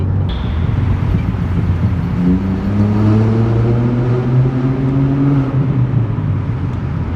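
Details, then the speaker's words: Stage 2 tuned VW Polo GT TSI 1.0L turbo petrol driven through a tunnel with the window cracked: deep, loud booming exhaust drone swelling as revs rise then holding steady; healthy but very loud tuned exhaust. "so once the tunnel comes we'll crack the open uh the window open just a little bit so that you can hear this wild exhaust for this one liter DSi have a listen"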